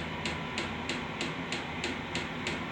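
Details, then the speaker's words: Diesel heater housed in an enclosed room, starting up: crisp regular fuel-pump ticks about three a second over a soft fan whoosh as it revs up; normal startup. "But uh yeah, this thing's revving up. You can hear it."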